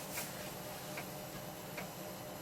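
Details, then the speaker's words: PC floppy drive writing an Atari ST 720k double-density disk image with Omniflop; crisp single ticks about every 0.8 s over a quiet hum as the head steps track to track; normal. "So click OK. I think you can probably hear the disk clicking away. I'll let this actually run so you can see how long it takes to actually create one of these disks."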